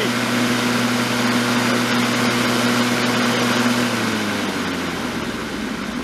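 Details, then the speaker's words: Black & Decker electric mower, cleaned up with a sharpened blade; steady, even hum with no shake or knock before easing down, and no vibration. Normal, smooth running. "Oh wow, isn't that smooth? No vibration. Pretty neat."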